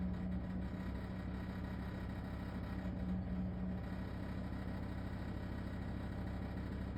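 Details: LG ThinQ WSES4728F washer in operation: a loud, steady low drone with a rough, fairly regular rattle at about three per second; horrible rattling noise, cause unknown.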